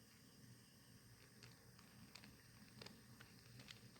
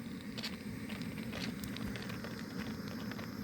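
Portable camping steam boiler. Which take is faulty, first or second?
second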